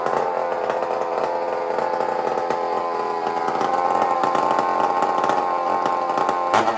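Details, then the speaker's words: Stihl 046 Magnum chainsaw with opened-up muffler (exhaust no longer forced through a tiny hole): high, raspy two-stroke buzz held steady at high revs with no misfires or surging; expected to be louder and snappier, running cleanly. "So we're going to fire this thing up. And we're going to hear the difference. It's going to be a little louder. And it's probably going to be a lot more snappier."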